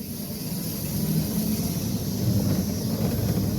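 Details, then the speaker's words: Electric Cub conversion on test drive after earlier noisy first drive: steady low rumble and road hiss, no chain slap or rattle; drivetrain much quieter now. "Yeah, it's much, much quieter now. When I circle back around, we can talk about why."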